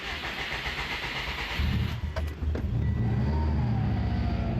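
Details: Subaru WRX after power steering work, on jump starter after a weak battery and reconnected fuel pump: starter cranks briefly, engine catches and settles into a steady, even low rumble.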